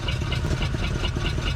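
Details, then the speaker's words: 1947 Ford Coupe flathead V8, unrun for about 15 years, throttle held wide open, plugs possibly fouled: uneven loping run with a missing beat about every quarter second; not all cylinders picking up, later traced to a stuck intake valve. "I got it just absolutely wooded right now, but I think she's so fouled out. Either it's going to pick up those other cylinders or it ain't."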